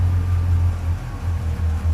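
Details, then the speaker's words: Customer's Subaru 360 van two-stroke after carburetor work, choke pulled, fuel pump running: strong steady low burble with no stumble; much better throttle response, though idle then sits too high. "turn it right up [Music] oh much better throttle response"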